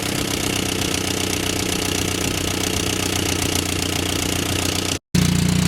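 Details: Barn-find Willys Jeep 4-cylinder, after tightening the leaking fuel pump and adjusting idle mixture, smoking a little: steady, even low idle with a smooth unchanging rumble, no knocks or misses; normal idle.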